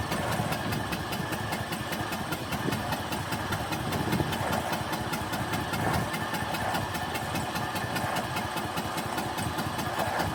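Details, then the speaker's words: Snapper 150Z zero-turn, 20 hp, 42 in deck, sat about 5 years in a shed, battery very dead: starter churns about two or three beats a second and never fires; later ran on starting fluid. "All right, the battery is super dead. See if she does anything. Spin it over."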